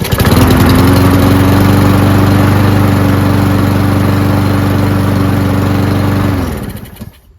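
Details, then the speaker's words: Free Cub Cadet mower with MTD Powermore single-cylinder engine after long storage, started with a prime: steady even running about six seconds, no misses, then winds down cleanly; normal running, carburetor relatively clean. "But, as you saw, it ran and ran on its own, which means the carburetor is relatively clean."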